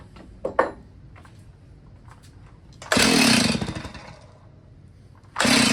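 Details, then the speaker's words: Old Stihl chainsaw that sat unused about 10 years, freshly fuelled: two one-second pull-cord rips, the engine turns over but never catches. Cranks but won't start; carburetor suspected and to be removed. "Okay. Well, worth a shot at least. Um, I think I'm going to go ahead and rip this carb off and take a look at that."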